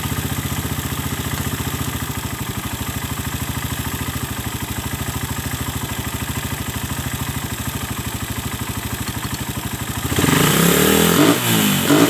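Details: Suzuki Satria F with a PE 26 carburetor, a fuel filter fitted and a box air filter, after carb setup: steady, even exhaust pulses at idle, then a crisp rev-up, and it sounds fine. Normal idle and revving.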